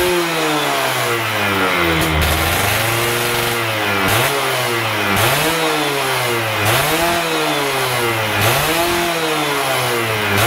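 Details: Stock Yamaha F1ZR 110 two-stroke, carburetor air screw set about 2.5 turns out: a buzz blipped up and back down about every 1.5 seconds, picking up cleanly and settling evenly each time; normal.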